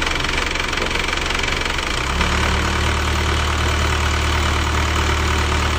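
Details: Isuzu Elf diesel after two cylinder liners were replaced in-frame for blow-by, second start after reassembly: it catches at about two seconds and settles into an even diesel idle with a firm low rumble and light, normal clatter; sounds smoother than before.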